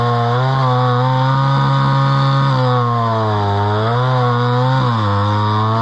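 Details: Homelite Super XL chainsaw from an auction, at least about 50 years old, 20in bar, slightly dull chain, restarted and cutting wood: a steady two-stroke buzz sags as the chain bites and quickly picks back up. Runs pretty good with good power.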